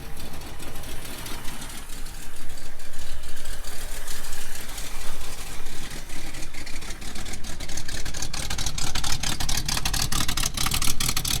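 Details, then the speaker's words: 1969 Mustang V8 that sat 15 years, restarted after cooling-system work with new radiator and electric fan: deep steady rumble at warm-up idle, even beat, no knocks or misses, good oil pressure; healthy. "You can hear how it sounds while it's warming up."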